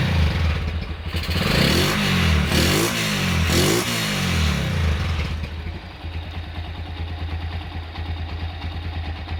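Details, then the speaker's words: Honda Tiger Revo single-cylinder engine, hot: revs then idles with a light steady tick from the cylinder head; smooth when cold, ticking appears only when hot; valve train noise. "Ini masalahnya kalau dingin suaranya halus, kalau panas seperti yang kita dengar tadi. Di bagian head ada suara ngelitik sedikit ya."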